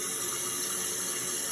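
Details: Toilet tank after replacing float and flapper with a Fluidmaster all-in-one repair kit (hard mineral water): flush, then steady hiss of refill with no surging or gurgling, and it stops running; fill valve working normally.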